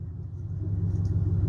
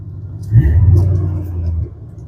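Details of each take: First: 2000 Chevy Silverado 5.7L V8 with no exhaust fitted, just after a tune-up (plug wires not replaced), idling with a deep, even open-pipe rumble and no dropped pulses; running on all eight and smoother than before. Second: 2000 Chevy Silverado 5.7L V8 at idle, with the exhaust cut off at the muffler right under the cab so fumes enter the cab: a deep, loud, raw rumble, louder than stock, from the exhaust leak.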